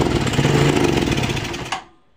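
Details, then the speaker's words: Suzuki Satria FU 150cc motorcycle, carburetor verified good: uneven stuttering note breaking up under throttle, popping as if rich with weak ignition, then cutting out; misfire from loose ignition coil wire connector. "Ini motor brebet dengan nembak-nembak yang seperti kebanyakan bensin dan kurang pengapian ya teman-teman motor ini seperti kurang pengapian"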